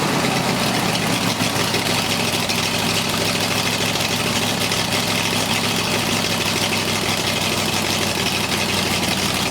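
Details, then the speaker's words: Ford flathead 8BA race engine on a run stand: a steady, even idle with a smooth low hum and no knocks or misses. Oil pressure is a good 50 psi, so the engine sounds healthy. "okay we just observed us running this thing and on the oil pressure we had a good 50 psi oil pressure so that means the oil pump is working"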